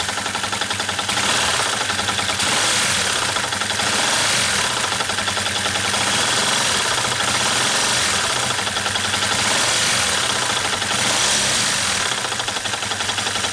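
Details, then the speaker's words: Yamaha New Vixion whose clutch, replaced in August 2019, is already loose: steady rapid knocking about four per second at idle, persisting with the clutch removed, so traced to a worn crankshaft bearing rather than the clutch; engine teardown needed to confirm. "Bunyi ada pada bagian sokarnya. Tapi harus turun mesin biar cek lagi, biar tahu mana yang bermasalah. Dari hasil analisa ini, yang dikira bunyi oblak kopling dan ternyata bunyi bearing sokar yang oblak."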